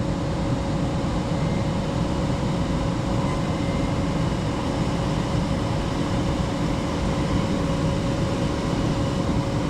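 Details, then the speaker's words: Furnace after installation restarting its heat cycle once the limit switch signals the board, with the inducer motor just on and no sight glass so the flame is judged by ear. A steady, even roar with a low rumble and faint constant tone, no surging: normal burner operation. "Only downfall about this is that there's no hourglass to see like the constant flame, but I mean you can hear it, so I mean that's fine. My heater just started."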